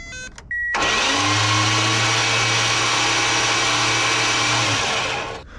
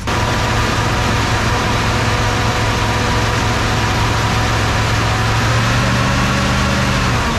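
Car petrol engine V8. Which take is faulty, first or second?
second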